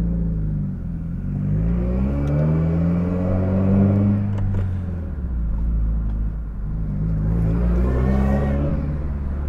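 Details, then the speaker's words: Subaru WRX with no boost, driven in first gear: rising drill-like whirring that climbs with revs, no boost surge. "can you guys hear that sounds nasty let's see if you can hear it even more if I close the window yeah sounds like a drill"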